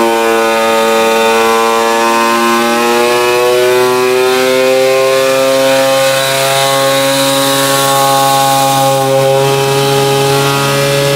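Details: Peugeot 103 moped, tuned two-stroke with new resonance exhaust: high steady wail holding flat at full revs, clean and strong with no misfire or stutter; engine running sweetly.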